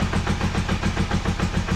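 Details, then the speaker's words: Honda CB250N Superdream 250 motorcycle on full choke after carb work (sync, idle screws): slow, loping, lazy beat close to stalling; idle set too low, thought to be the problem. "In fact, it's too slow. It's a little bit too slow, so I think that was the problem."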